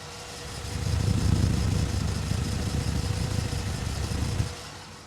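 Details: 1963 Chevrolet Corvette 327 small-block V8 idling after cold start, mic moved around the engine bay: even, smooth low rumble, no exhaust leak, valvetrain tick, water pump or bearing noise; healthy.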